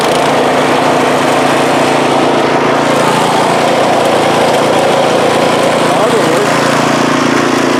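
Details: MTD snowblower after swapping in the engine from a second junk machine (original engine had no compression), primed and pull-started, cover not yet on: loud, even drone holding steady speed without stumbling or surging; running good.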